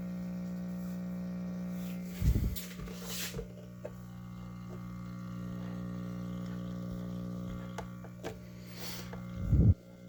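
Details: 1950s Zenith "Owl" model L515 AA5 tube radio, in for repair: dial lights but completely dead; steady low mains hum with handling bumps and no program sound; cause dirty tube sockets, has a replacement electrolytic.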